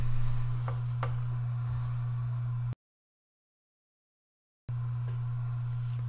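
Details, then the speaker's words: Maxtor 250 GB Serial ATA hard drive powered on: steady low spindle hum with no seek chatter or head clicks. It spins up and Windows sees it, but it cannot be accessed. "okay so while the drive spun up I'm not hearing any activity from the heads and windows sees the drive but when I try and click on it just getting nothing"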